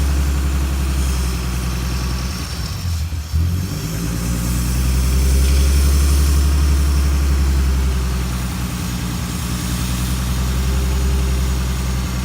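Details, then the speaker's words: Ford Mustang idling while Seafoam intake cleaner is fed slowly through the brake booster vacuum hose; a slight dip and uneven rumble as the engine falters from too much cleaner. "All right, now it's starting to falter a little bit. So when it does that, back off."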